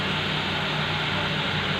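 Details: Nissan GX, QG16 engine, after repairing low fuel pressure and hard starting caused by a crushed fuel pump O-ring, improvised with fuel hose. Steady, even idle hum with no misses, knocks or surging: normal idle.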